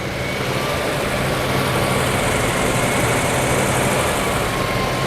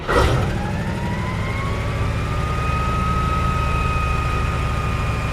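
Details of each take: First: 1956 Oldsmobile 88 V8 started after long sitting, an earlier problem possibly a stuck valve seemingly cleared, no exhaust smoke but maybe smoke from valve cover: steady, even idle without misses but noticeably high. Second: 1956 Oldsmobile 88 V8 after the fuel line was fixed, restarted with the battery charged: steady deep rumble with a faint rising whine that levels off, smooth with no miss, earlier breather smoke now gone; owner guesses a stuck valve or uncirculated oil; slightly high idle.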